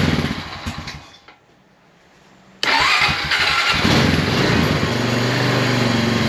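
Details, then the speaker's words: 2001 Honda Rancher 350 ATV fitted with a brand-new, unadjusted carburetor: it sputters and fades, then restarts and runs rough without holding idle before the idle screw is adjusted. "oh won't idle Let's uh let me go mess with my idle screw real quick"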